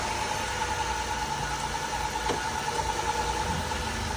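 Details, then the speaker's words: 2006 Dodge Caravan, 3.8 V6, started right up with a jump: even, steady idle with a smooth hum and no ticking or knocking. Engine sounds healthy. "Move it backward and forward. Sounds pretty good. Has the V6 in it, 3.8 V6."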